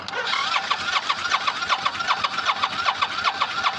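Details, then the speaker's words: Motorcycle cranked for about ten minutes: starter spins the engine at a steady rapid pulsing of about six beats a second but it never fires; no fuel delivery, fuel pump, sticking starter solenoid and battery need replacing. "I've been sitting here. I've been sitting here for the past maybe 10 minutes trying to get this thing to start."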